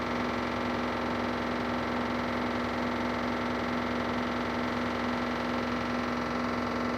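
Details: LG washing machine on spin with balanced loads: a steady hum and low drone with a faint, quick repeating tap. It is not really heard on unbalanced loads; the source is unknown.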